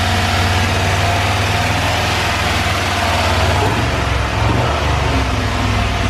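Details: Cadillac with a 6.0 LS swap at first start, red wire run straight to the battery: deep, steady V8 idle with a brief rev blip and no knocks or ticks. Oil pressure present; small oil leak at the back of a fitting.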